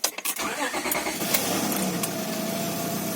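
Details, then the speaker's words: 2003 Honda Accord V6 after ABS/TCS work, first start after months: brief crank, catches quickly, settles into smooth even idle with no misses or knocks. "So it starts up quite good. Idle smooth. Idle smooth."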